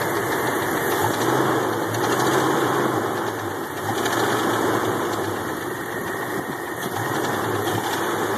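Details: Jeep engine at idle: steady idle with an uneven, faintly knocking undertone at a few beats per second; something is off, cause not pinned down.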